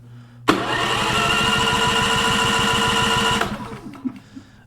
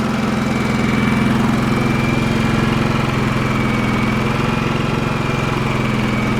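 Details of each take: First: Champion 4500W dual-fuel inverter generator with a growing hard-start problem; it spins fast and easily with soft, even puffs and no firing. Compression is only 20 psi, far too low to run; spark not yet checked. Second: Champion 4500 W dual-fuel inverter generator, previously non-running, covers off, eco mode, no load (60 Hz, 0 A, 122 V): steady constant-speed drone, no misses, surging or knocks; normal idle.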